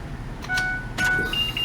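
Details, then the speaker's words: Youth van child-check alarm, fuse beside parking brake reinserted after service: short clear electronic beeps then a rapid higher pulsing tone after clicks, system regaining power and arming normally, no alarm going off. "When you plug the fuse back in, you'll get a rapid tone. It's initiating, it's turning on, it's getting power back."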